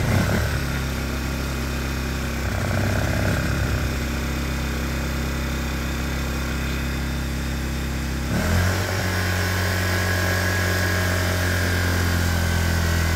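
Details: Honda EU1000i inverter generator, just bought used and not yet serviced (oil found overfull afterwards), starts and settles into a steady, even hum with a brief speed change, no knocks or misses; running normally.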